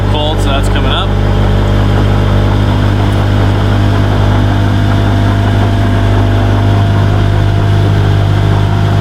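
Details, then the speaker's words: Classic Mini with Honda VTEC engine swap and Skunk2 intake, first runs, cold engine with 60 psi oil pressure; steady even hum at raised speed, no knocks or misses. Normal cold fast idle. "It's cold right now, so we've got a high air idle."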